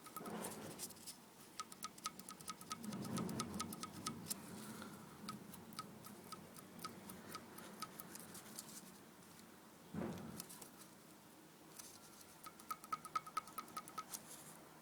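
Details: Light, uneven clicking about two a second over a quiet running timing-chain engine; front tensioner replaced with no change, valve shims within mid range, not a major click; cause not identified.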